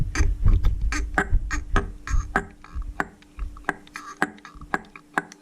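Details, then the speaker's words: Replacement fuel pump for a Yanmar 3GMD marine diesel, worked by hand off the engine: uneven squelchy puffs about two a second, drawing and pushing cleanly, clearly different from the faulty old pump. "so i found this new one on the danish version of ebay and this you can clearly hear there's a very big difference"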